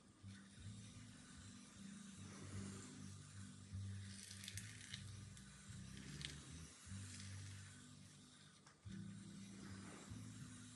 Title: Revox B77 MK2 buzz noise on idle